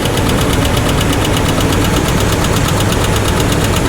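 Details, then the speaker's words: 1985 GMC Sierra V8 with 3-speed at idle after a drive: quick even ticking about seven or eight times a second over steady idle, a top-end tap persisting after fresh gas; cause not yet confirmed. "It doesn't seem like the new gas has done any good, and we definitely have that tap still going on."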